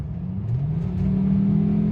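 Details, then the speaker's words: 2002 Volvo V70 2.4T driving after replacing torn intercooler inlet hose that had caused boost leak hiss and 5 psi limit; under hard acceleration engine note climbs smoothly, no hiss, boost reaching 8 psi, normal. "Oh, that's way better. 8. And I didn't hear it fly off. Things are looking up."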